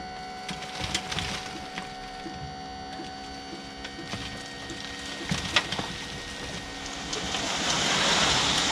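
Steady whine from the small electric pump, with a load shifting and crunching over it as the bed rises; the pump is working normally.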